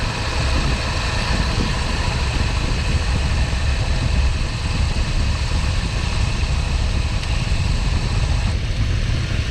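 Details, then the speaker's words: Nissan Xterra, AC on max, 112-degree day, blowing only hot air, burning-clutch smell: thin steady high squeal over the idle; failing AC compressor clutch screeching, it died just after, compressor replaced. "So I just came out here a second ago, and yeah, the screeching sound and the smell of you know, burning clutch was pretty evident."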